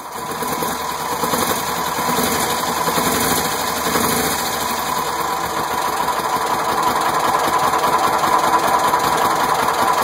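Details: 1969 Volkswagen Squareback air-cooled flat-four idles fast and unevenly with a wandering beat after start-up and a little extra gas; it runs but still needs tuning.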